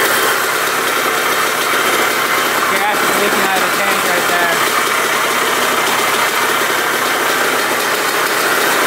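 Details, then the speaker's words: 1980 Suzuki RM125 two-stroke, first start on choke with the second kick after fitting a fuel line. Raspy idle with a wavering, uneven beat and hiss, running a little rough; tank leaking gas, loud silencer, top end a bit noisy. "I think that was the second kick she fired up. She sounds a little rough."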